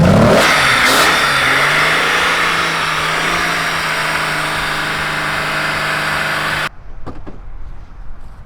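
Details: Jeep Cherokee donor engine with possibly old fuel in the rail catches and revs, holds a rough steady drone for several seconds, then cuts out abruptly; runs only on starting fluid, bad gas suspected.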